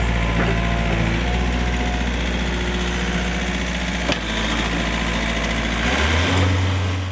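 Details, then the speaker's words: 1964 Ford F100 inline six with header and dual pipes, before timing adjustment: loud idle with uneven lope and odd stumble; stutters, issues around 55 mph; owner suspects timing, not confirmed. "I want to time it it's stutters a little bit and like 55 it has issues but it does have a header and a dual pipes on it it's got the inline six-cylinder sounds kind of funny"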